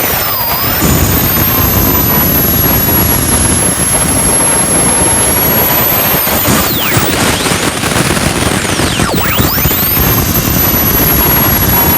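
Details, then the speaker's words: JetCentral model turboprop turbine on a test stand during its first start-up, temporarily fitted with a wrong-size test propeller: loud steady roar with a high whine sweeping slightly as speed shifts, no surging or rattles; normal running. "and can't be happier it sounded so good I love it it's just a great piece of equipment"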